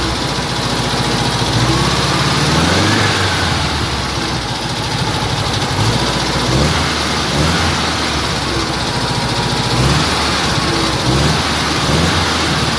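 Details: Cox (VW Beetle) engine: loud busy idle with a short chirping swoop every second or two over the clatter; abnormal engine noise, source unclear.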